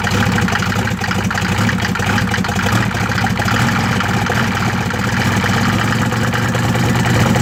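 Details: 1993 Mercedes OM602 diesel at idle: steady clatter with an uneven, lumpy beat underneath; rough idle, cause not yet known.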